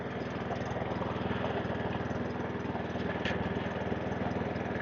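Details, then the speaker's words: Webb WER41SP walk-behind mower, sold as no-spark; single-cylinder engine with choke off holds a steady, even beat without hunting or surging, running smooth and healthy. "and it runs and no hunting surging that's the main thing"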